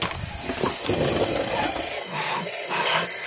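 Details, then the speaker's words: Leak-down test on cylinder 4 of a junkyard replacement 2.5 SOHC engine in a 2008 Subaru Legacy (164,000 miles) with a misfire, piston at TDC on compression: a strong steady hiss of air escaping past the unsealed exhaust valves. "can you can someone tell me why those exhaust valves are not sealing it was the right diagnosis but I expected something a little more obvious"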